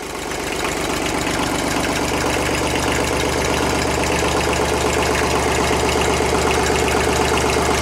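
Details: 1970s Kubota L225 diesel tractor, abandoned for years, running on a jumper pack: steady, even idle clatter with a regular beat and nothing irregular on top; oil light out, normal diesel idle.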